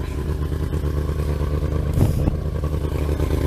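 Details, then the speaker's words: Thunderace after installing a set of carbs: fast, busy idle that never settles to a slow tickover because the tickover was deliberately set quite high. "still fairly high is because I also set the tick over quite high as well."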